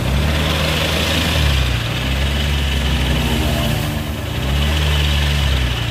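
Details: Suzuki Nex scooter before CVT teardown: engine smooth at idle, but a rough, snoring growl from the CVT block rises as the throttle opens; worn CVT bearings.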